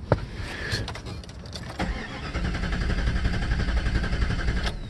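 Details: 1996 Jeep Grand Cherokee with warm stalling and sputtering, tested by wiggling and cleaning ECU wiring connectors; starter churns the engine steadily but it never catches; crank, no start.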